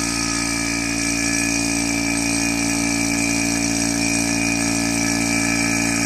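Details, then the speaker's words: Single-stage 2.5 CFM non-brand vacuum pump running, pulling to a little over -29: loud steady even drone with busy high buzz, no knocks or surging; normal running, louder than the two-stage pump. "the single stage is going to be louder and the the the two stage is going to be quieter"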